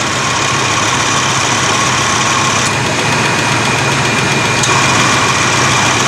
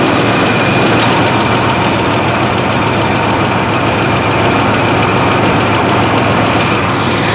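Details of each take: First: 1987 Chevy S10 at idle after replacing the accumulator/dryer and orifice tube and fixing an O-ring that stopped a fitting from seating. An even whir over the engine as the AC compressor kicks on and stays engaged, with no clatter. Compressor running normally. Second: 1987 Chevy S10 at idle after replacing the AC accumulator/dryer and orifice tube, high side about 130. A faint high tone shifts as the compressor clutch cuts in and out. AC short cycling; owner plans to adjust charge levels, cause unconfirmed.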